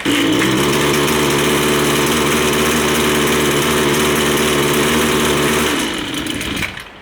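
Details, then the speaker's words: Line trimmer with low-speed (L) mixture screw out of adjustment, before turning it clockwise: rough buzz on partial throttle, blowing a little smoke, then sags and dies; stalls unless throttle held. "You can see it's blowing a little bit of smoke, and you have to keep the finger on the throttle in order for it to stay on."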